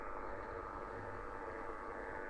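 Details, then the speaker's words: HF receiver on 80m: constant rough buzzing hiss at S9 with repeating peaks and no signal, resembling interference once traced to a trickle-charge battery charger; similar source suspected. "this is what it sounds like and it just repeats and repeats and repeats and S9 of noise"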